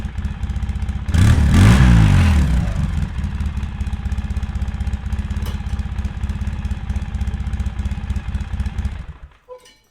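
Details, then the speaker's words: 2003 Polaris Sportsman 700 Twin ATV in stock form before Big Gun exhaust install, started hot: brief rev, then steady, even low thump at idle with no knocks or misses before shutting off; healthy running. "Here we go again. Here we go again. Sounds pretty good, but we can do better."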